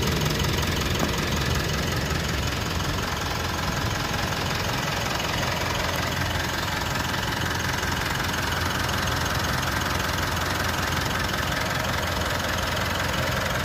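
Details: Mitsubishi All New Pajero Sport 4N15 diesel at idle: even, fast, dry clatter with no lumpiness or loud knocks; normal, smooth, healthy engine.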